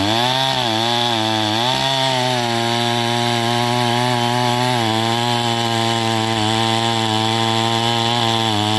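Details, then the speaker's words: Stihl MS261 first-generation chainsaw, ported muffler, rebuilt Zama carb, 30:1 91-octane fuel, at 7000 ft, high-circuit tuning: near full throttle, slight four-stroking burble at high RPM, settling when cutting; high-speed mixture slightly rich. "so you can hear it it's still four stroking a little bit there in the high and at the high RPMs and then she settles down once you put her in the wood"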